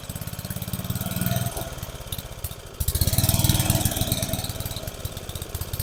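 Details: About 30-year-old family lawn mower, temporary fuel tank setup: small engine chugs unevenly, sags and nearly dies midway, then picks back up, acts like it's starving for fuel; carburetor suspected to need adjusting. Engine stumbling and surging.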